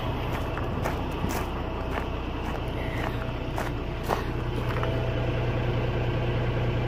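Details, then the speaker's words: Truck diesel idling during pre-trip inspection, brakes applied and listening at the trailer: steady rumble with no hiss, so the air brake lines show no leak. "И слушаем, не шипит ли ничего особенного."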